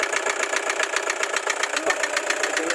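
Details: Toyota HiAce Commuter 2KD diesel at idle: steady fast tapping, a sharp metallic knock repeating evenly with each turn, louder than normal injector clatter; engine knock.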